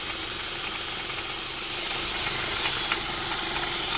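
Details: 2002 Ford Mondeo Mk3, Duratec HE petrol, automatic, at idle; light, irregular tinny rattle near the pulleys, started a month ago and worse when hot, not louder under the car, exhaust apparently not the cause, source unknown.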